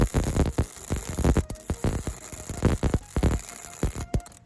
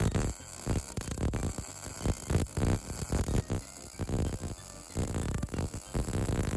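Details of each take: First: MIG welding with the shielding gas turned off: ragged, irregular popping and spitting instead of a steady frying hiss. The resulting weld is extremely porous with very little structural integrity. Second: MIG welder after turning the wire feed up, because the weld rate had been outrunning the wire feed: a steady crackling sizzle with even bursts and no long gaps or pops. The second pass sounds and looks more consistent, a normal weld sound.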